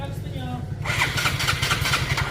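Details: Yamaha Mio scooter with hard starting and high idle; low even chugging as starter turns engine, then rough firing joins in, struggling to start.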